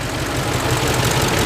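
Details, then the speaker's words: 2005 Ford F-150 4x4 5.4L, code P0357, running rough at idle: uneven idle with a recurring stumble. Misfire traced to low running compression on cylinder 3, though cranking compression was 120 psi. "cranking it was okay then let's see where is this running and it's low and so it's speed you can hear it missing real bad"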